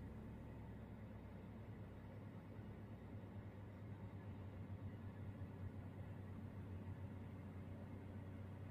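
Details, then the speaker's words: Toyota/Daihatsu with rich-mixture code P0172, surging idle and hesitation, idling with AC on after mass airflow sensor cleaning or replacement and ECU reset: quiet even low hum, idle now stable, crisper combustion, no rise and fall. "sudah enggak ada ya dia idolnya lebih stabil kondisi AC on kemudian dig gas dia lebih ngisi dari suaranya beda ya jadi pembakaran yang baik itu suaranya cenderung garing"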